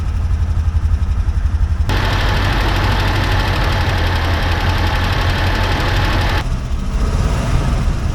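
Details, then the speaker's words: 1970s Chevrolet C-10 Custom V8, sat about 30 years and was locked up, first run after carb cleanup: loose, lumpy idle briefly climbs then settles low; not idling properly, idle needs turning up; blew oil cap off, smoking from headers. "I probably need to turn the idle up a little bit because, I mean, it seems to run okay, but just it's not idling."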